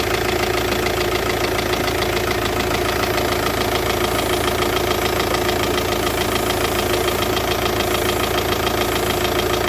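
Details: Volkswagen Touran 2.0 TDI diesel idling with steady clatter and constant airy hiss: vacuum leak at poorly sealing hose to the vacuum pump check valve, losing vacuum and causing weak braking.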